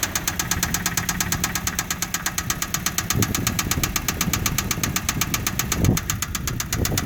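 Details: Mitsubishi petrol engine idling with a rapid, sharp, even knock that persists through a couple of throttle blips.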